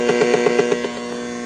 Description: This video is much more concise to the correction of radiated and conducted emissions of RFI on this power inverter.